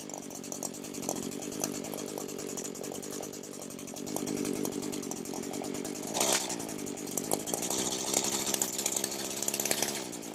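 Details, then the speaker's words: Echo SRM 225 two-stroke string trimmer that wouldn't start, oil-leaking after a shop repair, in a no-tools crankcase air-leak check; steady high-speed buzz with no dips or stumbles, no appreciable RPM drop, healthy with no air leaks. "Okay, if you can hear me, the sound I'm looking for is any sort of appreciable decrease in the RPMs, and I have not heard that."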